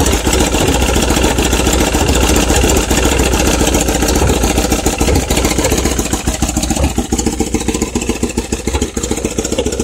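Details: Kawasaki ZX7R, wrecked four years ago and just restarted after repair: idle and blips with a slightly uneven, lumpy beat; running rich, cause suspected, not confirmed.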